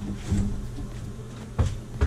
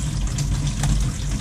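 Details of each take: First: Pipes at a combi boiler install while the kitchen hot faucet runs: low steady hum with irregular hard knocks and thumps, hot line vibrating heavily; water hammer, plumber almost certain the kitchen faucet is the cause, to be replaced. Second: Kitchen faucet after a valve washer repair for pipe banging (water hammer) that was first mistaken for combi boiler noise: a steady low rush of running water with no bangs or knocking. The faucet is flowing normally.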